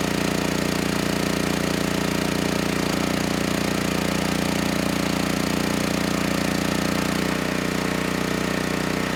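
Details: Generac GP6500E generator, formerly seized engine now running, warmed up, tested outdoors under load up to 6,000 W near max: steady governed drone holding pitch, settling slightly as load comes on; 121 V held, 61 Hz to just below 59 Hz, distortion 6% to 16%; pulls load cleanly.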